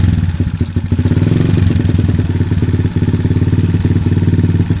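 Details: Kawasaki KLX 150 with PE 28 carburetor after setting air screw for highest rpm then idle screw: single-cylinder thump at idle, about 220 beats a minute, fairly steady; settled idle with mixture set right.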